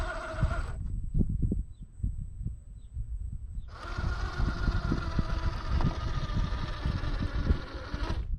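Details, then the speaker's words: Redcat Gen 8 V2 1/10 crawler fitted with HobbyWing 1080 ESC replacing stock 1040, crawling slowly: only light gear clatter and ticking, no electronic harmonic whine from the motor, purely mechanical sound; drivetrain normal. "You can hear there is no electronic harmonic hum, no whine. All that you can hear is all the mechanicals, all the gearing moving in here."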